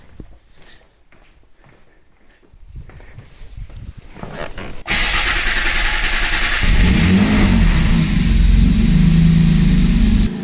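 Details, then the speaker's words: Jaguar V6, first start after a complete timing chain kit (chains, tensioners, guides on both banks) and a VVT unit were replaced to chase a chain rattle; catches cleanly, runs evenly on all six and revs smoothly; normal running. "rolling on six cylinders finally there just doesn't seem to make any difference at all"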